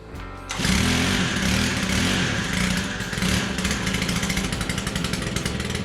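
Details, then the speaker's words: Stihl KM 110R combi trimmer that had not run in a long time, started after priming, with a possible primer bulb crack and fuel possibly mixed lean on oil (maybe about 40:1 instead of 32:1): crisp, steady two-stroke buzz, clean revs, no misses, healthy and powerful. "I can't remember I don't know wow sounds good and powerful"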